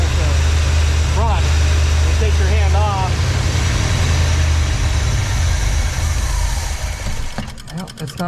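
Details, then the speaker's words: 1986 Trans Am 305 4bbl with rebuilt E4ME Quadrajet, cold engine: deep V8 idle runs evenly then turns ragged and sags toward stalling; lean stumble from vacuum leaks, runs better with hand over carb; intake gaskets and carb base to be redone. "Obviously it runs good with your hand over it. Essentially you're blocking the airflow, so you know, you've got enough"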